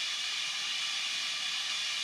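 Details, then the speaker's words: Air cooler on a commercial-grade bandsaw, valve opens when saw switched on, motor unplugged; steady high-pitched hiss with no sputter or pulsing, nozzle blowing freely, normal. "But, if we turn on our saw, the motor will be running. There goes my air."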